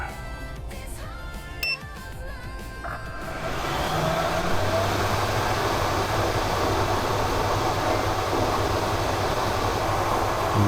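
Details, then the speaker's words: Kitchen range hood sirocco duct fan in a DIY camper bus, running before silencing work: starts up into a loud, steady roar of rushing air with a low hum, measured at 82–83 dB directly below. "<b>It's incredibly noisy, isn't it? I'm using a wireless mic now, but with the camera's built-in mic, my voice would be completely drowned out.</b>"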